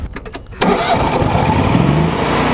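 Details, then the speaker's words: Miller Trailblazer 325 EFI welder generator, Kohler 25 hp electronic fuel injected engine, starting: brief crank clicks then fires and rises smoothly and quietly to 3200 RPM; healthy start. "so the engine here is uh it's a Coler 25 horsepower electronic fuel injected engine you hear how quiet that is what happens is when you start the engine the engine goes to 3200 RPM"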